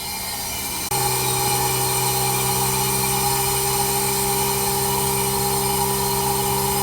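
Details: Newly installed, upgraded heat pump with anti-surge protector: a click, then a steady, even hum with faint whirr, no surges or rattles; barely audible, normal operation.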